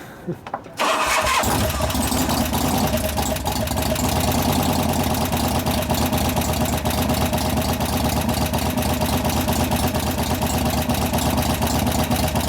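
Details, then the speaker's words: 1988 Harley FXR V-twin after cam change and pushrod adjustment, start in neutral after pre-lubing lifters, thin oil: fast light clatter over idle beat; hydraulic lifters still not pumping up despite good oil pressure. "Yeah, it still doesn't want to. Typical hydraulics, they just don't like to pump up."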